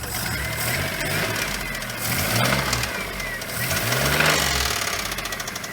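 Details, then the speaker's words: Geo Metro engine revving with a hard deep knock quickening with rpm over loose rattling, previously masked by a squeal; suspected bad connecting rod bearing. "I think it's got a rod. Bad rod."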